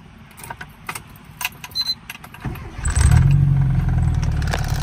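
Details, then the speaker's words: 1995 Rover Mini Cooper 1.3 SPi (single-point fuel injection), started from the driver's seat: keys rattle, a brief crank, then it catches at once and settles into a steady, even idle. Normal start; the owner says it starts perfectly every time. "yeah, this thing starts up perfect for me every time. I haven't had any issues with it whatsoever."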